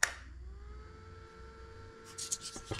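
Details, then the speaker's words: Suzuki DR650 Cyclops H4 Ultra LED headlight cooling fan after cutting and taping the housing: clean steady fan whine, no rubbing or ticking, some handling clicks; fan runs properly. "sounds good with the fan. Yeah. I like it."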